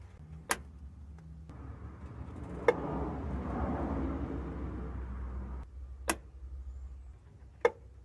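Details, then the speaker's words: Chevy Silverado with P0446 code, EVAP vent solenoid commanded on and off in a listen test after the fuel tank pressure sensor was checked; four crisp single clicks a couple of seconds apart; solenoid actuating normally. "evap vent solenoid let me turn it on this will just be a listen test now listen to it"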